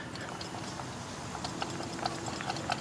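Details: Honda manual transmission removal, CV axles out: irregular light clicks and knocks, a couple each second, as the axle is worked by hand; joint sounds loose and worn; boots ripped, debris wound in, axles to be replaced.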